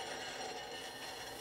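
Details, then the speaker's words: 1965 Harley-Davidson Panhead FLH 74ci under repair: a steady thin squeal with scraping hiss from the drum brake; brake spring suspected of rubbing, cause not yet found. "brake spring rubbing rubbing that's not good so we have to figure out what's dragging"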